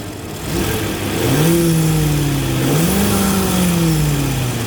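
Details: First-gen EcoBoost Ford F150 after replacing failed turbo coolant line fittings and refilling coolant, first crank checking for leaks: settles to steady idle, smooth even blips up and down, no knocks or rattles; runs clean.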